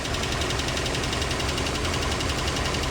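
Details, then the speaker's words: Land Rover Series 2A four-cylinder on unleaded petrol after years on LPG, new fuel pump, just started with choke after possible flooding: busy even idle, steady tappet chatter, no missing beats; carb dripping; normal idle. "running. He's running. Okay. Okay. So, we got that running."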